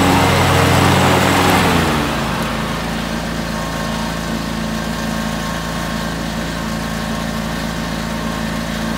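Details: 2003 John Deere X485 garden tractor, 25 hp liquid-cooled Kawasaki EFI engine, 671 hours, recently serviced: after a noisy start it settles into a smooth, even idle with a steady low hum, no knocks or misses.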